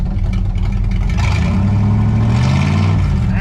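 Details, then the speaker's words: 1963 Chevy Impala wagon V8 parked 20-30 years, after correcting two crossed plug wires (firing order 18436572): deep, loud rumble with even pulses and clean rev pickup, firing on all eight; one header still blocked. "sounds like a V8 know what this thing really needs though is the other header to be open because then I can really hear how it's running a lot better"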